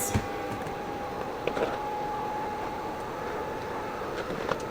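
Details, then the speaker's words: Lomi countertop food recycler, previously not working, restarted after screws and filters refitted: quiet, even motor hum with a faint steady whine and light occasional clatter; keeps running without stopping, appears fixed. "y'all, it might be working this time. It hasn't stopped yet. I think we good on this one."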